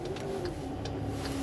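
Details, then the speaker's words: Car creeping slowly onto a car-transporter trailer: thin, steady whine over quiet engine noise; drivetrain whine, driver suspects the DSG gearbox. "Что-то воет, ДСГ что ли воет? Неприятно."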